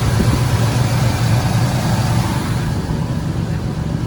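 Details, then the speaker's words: 1997 Ford F150 after valve cover work: smooth low rumble with an even beat and no light ticking from the top end; the earlier tapping is gone, normal idle after the fix. "you listen to it, the little tappy tap is gone. So that means we fixed it."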